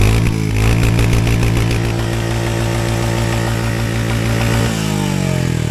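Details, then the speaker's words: Royal Enfield Hunter 350 BS7 E20 2024, serviced at about 500 km: deep even single-cylinder exhaust thump rising with throttle up to full then dropping cleanly; stock silencer sounds good, light engine chatter considered normal. Normal exhaust note. "तो अभी आपको मैं silencer की आवाज़ सुनाता हूँ और इसका साइलेंसर बहुत ही प्यारा है। अपने को कोई चेंज कराने मार्केट से ज़रूरत नहीं है।"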